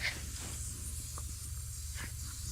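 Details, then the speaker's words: Faint steady hiss over low hum with handling taps: air escaping at the inner tube's valve stem, why the old tractor's tire on the blown-out rim went flat. "Let's see if we can find a hole. See why it went flat. Ooh, I hear a little hole. It's from the valve stem."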